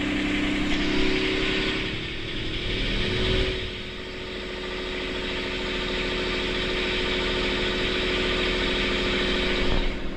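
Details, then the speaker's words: Boat's port diesel engine after repairing all four engine mounts snapped when it struck a submerged log: steady brisk chugging well above normal idle, because the throttle cable bracket bent when the engine jumped forward 3-4 cm; idle needs adjusting. "It's actually idling too high now. It's because the bracket where the cable goes onto the engine, when the engine jumped forward 3-4 centimeters, when the mounts broke, it actually bent that bracket, and so now it's just a matter of adjusting the idle, because you can hear it's idling way too"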